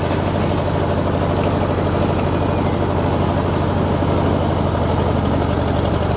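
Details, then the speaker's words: Ford Jubilee tractor mowing with the PTO engaged after a carburetor swap: steady, deep drone that holds even under load with no stumbling or dying. Cuts much better than before, when it stalled under load; the carb still needs adjusting. "i think the tractor's a win um i just have to adjust that carburetor but it's cutting a lot better than it was and that's good"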